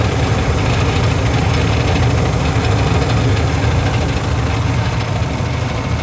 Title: Furnace heat draft making noise #heat #service